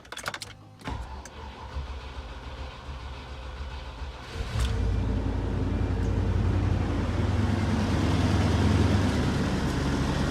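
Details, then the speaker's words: 1992 Range Rover Vogue LSE V8 air suspension compressor, replaced with a new one after an oversized fuse likely killed the old one: clicks, then steady low electric hum and airy buzz while lifting; normal operation. "so today I fixed the air compressor by replacing it with a new one"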